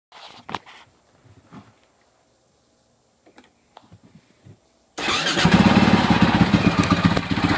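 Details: 2006 Husaberg FE650 single, after a dual valve spring kit and a brand-new 70-link cam chain and tensioner, idles with a quick, steady rattling tick about four per second; cause not identified. Noisy engine at idle.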